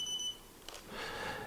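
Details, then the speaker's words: Halo Drone Pro controller powering up while rebinding (power held with home button): short high double-tone beep, then a click and faint hiss; normal power-on. "to rebind to the controller, we need to press power and hold the home button at the same time when we're powering up."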